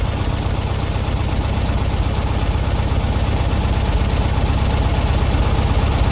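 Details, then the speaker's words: Old VW Beetle during carburettor tuning after setting the ignition timing: idle mixture screw being unscrewed from a smooth setting. The slow, uneven idle lopes about twice a second and sags toward stalling, showing the idle mixture is set wrong. "again that's starting to die again now so straight back in a bit i'm just trying to find the smoothest bit really"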